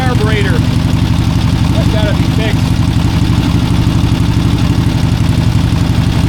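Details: 1971 Harley-Davidson Ironhead XLCH hangs at a fast steady idle, about 3000 rpm, instead of settling; owner first suspected a sticky carburetor, but a misadjusted throttle cable held the throttle plate open; fixed by cable adjustment.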